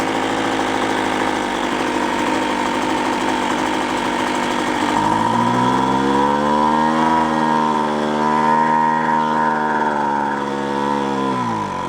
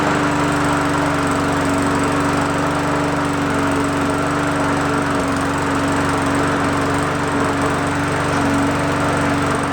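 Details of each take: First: Free roadside two-stroke machine after carburetor limiter tab cut to adjust air-fuel mixture: idles, then revs but hangs at a modest, wavering pitch, never reaching full speed; mixture set wrong. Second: Roadside free single-cylinder mower, primer bulb pumped three times, first pulls: steady even buzz at constant speed with no surging or misfires; starts easily and runs smooth.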